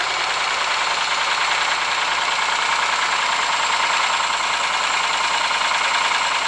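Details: Ford Sierra engine at steady idle with persistent sharp knocking, roughly three per second, over the engine note; cause unknown.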